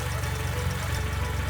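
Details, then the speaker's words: Audi B8 after a CTS BOSS 500 big turbo install, not yet tuned, coolant still low; low, steady idle with even firing pulses, no misses, hiss or knock; idling normally, sounds much better, no leaks. "so I need to go pick up coolant but first impressions sounds so much better"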